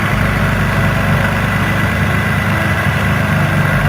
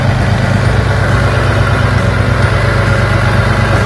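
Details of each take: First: 2004 Infiniti G35X V6 that had P0300 misfires, suspected on cylinders 4 and 6: idles with a steady, even hum and no skips, running normally. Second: 2004 Infiniti G35X V6 at idle, code P0300: rough, stumbling low thump about three times a second; misfire in cylinders 4 and 6 traced to damaged spark plug/coil wiring.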